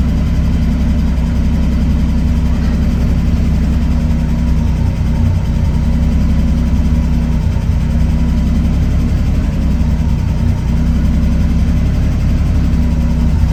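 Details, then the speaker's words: Triumph TR6 after EFI kit installation, warm start, transmission in neutral, fuel pump heard spinning up: deep steady idle with an even beat, sitting a little low as it does when cold, expected to creep up. "so you can see what I was talking about when it's iding a little bit low when it's cold but it should creep up here in just a second"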